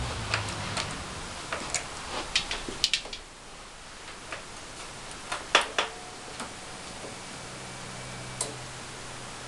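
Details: Suzuki TL1000R on its first start-up attempt this winter, ticking repeatedly with two short, harsh cranking bursts and no catch. The owner wonders whether it is an oil or fuel problem.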